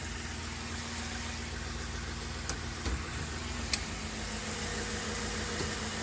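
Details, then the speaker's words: 2007 Ford E250 van, 4.6L V8, automatic: low, even idle in gear with a steady hum and no knocks or misses. It was slightly rough when bought after about a year unused, but that has cleared. Seized A/C pump, belt removed. Normal idle. "Nice and smooth, guys. You know, I'll just put it in gear for you. You can hear it in gear."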